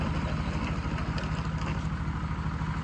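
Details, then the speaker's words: Cold start of a diesel after battery charge and coolant top-off: low, slightly uneven idle with occasional stumble; owner suspects a faulty glow plug on one cylinder (or oil burning), smoke said to stop once warm. "I think one of the glow plugs on one of the cylinders isn't quite right, because it'll miss and sound a little funny every once in a while."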